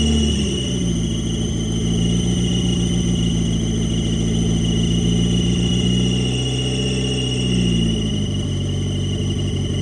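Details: 1990 Mitsubishi Eclipse GSX, first start after intake manifold refit and top-end reassembly, primed for oil pressure: steady low drone with even, unbroken beat, no knocks or stumbles; engine runs smoothly.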